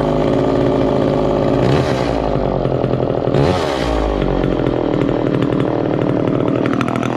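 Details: 1969 Homelite EZ Automatic chainsaw, first start in about 20 years after storage, freshly fueled: high, steady two-stroke buzz at constant speed with brief flares from throttle blips; runs evenly and healthy.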